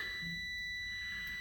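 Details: Key-on in the cab of a 20-year-old school bus (skoolie conversion) after a dead battery, 13.3 V read: steady high-pitched electronic buzz with engine quiet, the low air pressure alarm while building air after two weeks unused.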